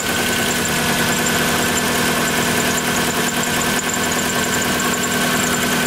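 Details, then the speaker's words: 1997 Lexus SC400 (1UZ V8) barn find, recorded at tailpipe: rough uneven idle, about two stumbles a second under steady drone; misfire with no check engine light, full tune-up needed, cause not confirmed. "this is what happens bring them to the tailpipe so they can hear the misfire that's what happens when you get a car with one of the original owners"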